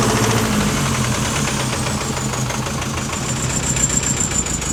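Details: 2019 Chevy Colorado with the BabyMax diesel, about 4,000 miles after purchase: rough revving with a loose, regular internal knock, slow rev rise, heavy smoke, exhaust leak and poor throttle response. Cause unknown; turbo or injector suspected.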